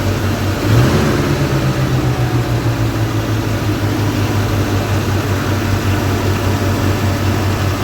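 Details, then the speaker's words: One-owner 1979 Chevrolet Scottsdale 4x4, carbureted V8: a quick throttle blip, then a deep, even, steady idle with no misses or knocks; the engine itself sounds healthy. "the engine itself sounds crazy good I can see why they put this one in there"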